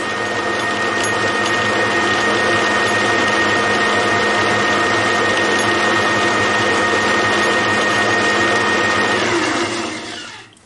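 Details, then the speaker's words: Homemade gears cut on a shaper, first test run on the lathe at low speed: steady, even whir with a faint constant tone, no knocks or rough patches; gears mesh smoothly (one slightly oversized tooth binds at higher speed). "my next tool let's give it a try on the late anyway first low speed sounds good"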